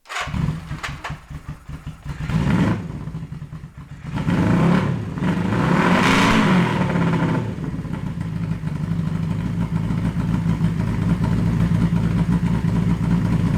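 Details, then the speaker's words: 1982 Honda Nighthawk CB650SC four-cylinder after new coils and plug wires: starts rough with uneven popping and stumbling, settling to a steadier, fuller idle on all four after seconds; owner assumes unburnt fuel from inner two cylinders previously not firing. "it misfired a bunch when I first started it but I had also been running it without the inside two cylinders firing so I'm assuming there's just a bunch of unburnt fuel in there after a few seconds it's running on four cylinders again"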